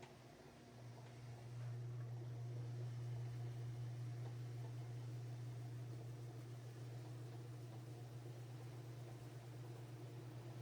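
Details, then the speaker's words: Whirlpool/Roper washer after the brake and clutch repair: smooth low hum as the drum spins up, steady even run with no clunks or grinding, then a smooth stop without jerking. Normal spin and stop. "That's how it should be. You can see how the machine it comes to a nice, smooth stop, not jerking, and that's how it should be."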